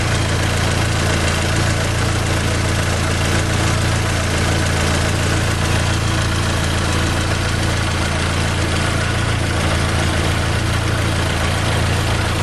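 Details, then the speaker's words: Fiat Palio 2010 1.4 8V Fire, in for a tec-tec engine noise, idling after coolant flush work: steady low hum with an even beat and no ticking or knock under the background rush; normal idle. "tudo funcionando perfeitinho tudo sem por cento funcionamento Redondo tudo bacana demais sem nenhum vazamento de óleo ou de água"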